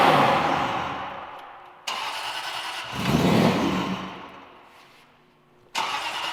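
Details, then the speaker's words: Supercharged (Vortec) V8 Aston Martin Vantage project, first start: engine fires, briefly picks up, then sags and dies twice; no bad mechanical noises, MAF issue suspected; engine stalls after starting. "have to take a look at it and see why it won't stay running. Chris thinks maybe it's a MAF issue, but the good news is no bad noises, sounds great, fires up. We just got to figure out why it's not staying running."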